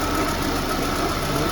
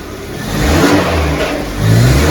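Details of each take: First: VAZ 2110 after repair on petrol: air leaks fixed and throttle position sensor wiring resoldered; warm engine idles with a smooth, even hum, no stumble or knock, fan working. Normal idle. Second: VAZ 2110 (gas-equipped) that won't run on petrol: engine surges and sags about once a second with lumpy, uneven beat, no steady idle, misfiring; throttle position sensor shows no response, wiring fault suspected.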